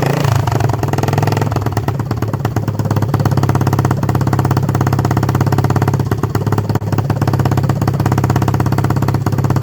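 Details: 1976 Honda XL250 (8000 km) on first start after a 3-month restoration: the single cylinder thumps steadily at a fast idle, deep and even with no knocking or rattle, running properly.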